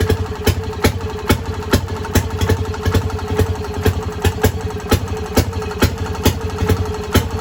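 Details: Fairmont RO-C single-cylinder engine with buzz-box ignition, just started stone cold with spark retarded and carburetor at 2 turns; sharp, evenly spaced pops a little over two per second over a low chug, firing cleanly every time and running well.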